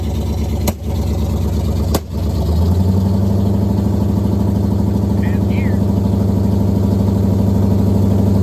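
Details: 1969 Pontiac Firebird, almost all original numbers-matching drivetrain, first start after sitting since 1994, no brakes: a couple of thumps, then a steady low V8 rumble, even and regular, as the car moves under its own power; engine runs smoothly.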